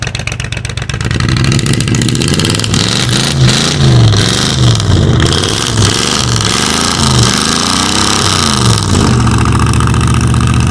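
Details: 1985 Ford Bronco (title says 1986), pasture find, first start in 8 months after puking coolant from an exhaust pipe; oil squirted down the cylinders. Stumbles and surges unevenly through the revs, running on about six cylinders. Cause not confirmed.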